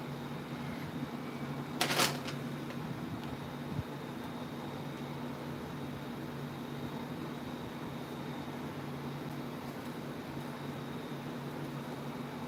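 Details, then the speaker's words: Unbranded 28" tower fan running on a blade motor swapped in from a dead 2010 Aloha Breeze 32" tower fan 87120. Steady low hum with a thin high whine over airflow hiss that sounds weird; cause unclear. "that sounds weird for that is so weird it's making a weird noise"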